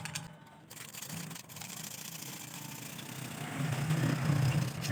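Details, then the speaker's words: Half-shuttle sewing machine with tight shuttle being freed: emery applied, screwdriver in shuttle slots moved back and forth; dry scratchy rubbing rasp in uneven strokes as the shuttle laps free in its race. "ये आपको आवाज़ भी सुनाई दे रही होगी, इसके अंदर से कटाई हो रही है, मतलब ये इसमें फ्री हो रहा है क्योंकि ये इसमें टाइट है।"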